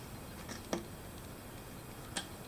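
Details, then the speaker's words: 3D pen extruding PETG at its 230°C maximum on a rainy day: two sharp isolated pops about 1.5 seconds apart over a quiet room. User suspects moisture. "hold on. It's popping. It's got some. There's definitely moisture in the air."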